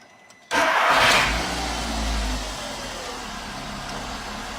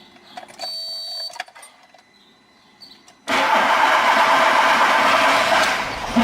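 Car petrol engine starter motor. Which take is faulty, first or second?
second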